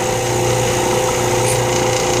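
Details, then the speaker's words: Vacuum pump for a lathe vacuum chuck during segmented bowl turning, switched on for alignment. Even, steady motor hum with low drone and constant mid tone, no surging or rattle; running normally. "so i'm only using this for alignment purposes turn my vacuum on"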